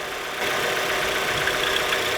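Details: Beginner's Mazda Miata at idle, VVT solenoid unplugged as a test: steady fast metallic chatter over a thin idle, mostly high-pitched; rattle came back, a top-end valvetrain rattle from running low on oil.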